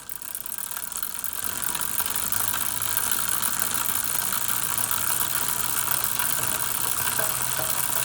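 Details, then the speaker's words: Road bike chain waxed and ridden over 2,000 km, recorded with a mic above the cassette. Steady fine whirring rattle, slightly coarse rather than smooth; worn waxed chain that still sounds acceptable. "It doesn't sound quite as smooth if we take a listen to it now and then when we've got the new chain on as well."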